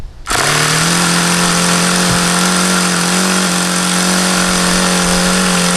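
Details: HP VT 21 rotary-valve four-stroke model engine with a long history of run problems: a steady high buzzing drone at the lowest idle reached. The owner says it is still rich on the low end and was leaning the low-speed needle. Cause not confirmed.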